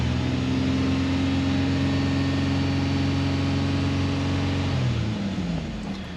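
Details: Toyota Sienna with over 200,000 miles, after an oil change with 5W30, revved lightly to circulate oil: smooth, even raised hum for about five seconds, then eases back down cleanly; no knocks or rattles, healthy.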